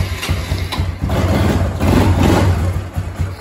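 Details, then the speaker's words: Kawasaki Bayou 250 ATV after carburetor replacement, cold on choke with some old fuel still in it: quick, slightly lumpy single-cylinder putter at idle, running steadily, a normal cold idle; idle may need bumping up. "so fire's right up sounds good idle's awesome um choke it we'll get her warmed up here so doesn't sound too bad"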